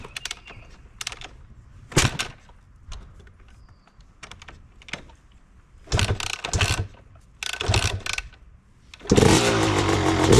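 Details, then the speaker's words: Yamaha YZ250 two-stroke, first start after a new clutch cable and a 750 ml oil change: several kicks with short sputters, then it catches at once into a crisp, steady idle and runs cleanly. "Alright, first start up with the new clutch."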